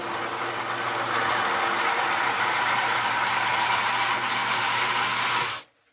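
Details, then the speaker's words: Home water-system pump, after reassembly with loose front bolts tightened and no drips, kicks on when the drain valve opens, runs with a steady low hum and smooth whir, no knocking or rattle, then shuts off cleanly; normal operation, considered fixed. "that pump just kicked on turned the water off and the pump just turned off I think we're fixed"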